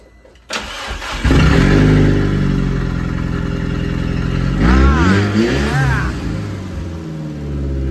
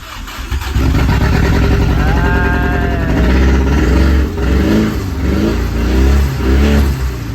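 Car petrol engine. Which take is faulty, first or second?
second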